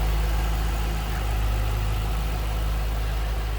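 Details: 2007 Ford Mustang Shelby GT coupe, V8 with cold air intake, 5,228 original miles, hood open: deep, even burble at a steady idle, no ticks, knocks or stumbles; healthy idle.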